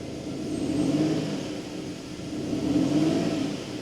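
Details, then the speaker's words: BMW E39 528i after a coolant system overhaul, started with the check engine light coming on about 30 s later: lumpy, uneven rev surges and rough running. "But yeah, it's not running very well. I don't know if you can hear it, but"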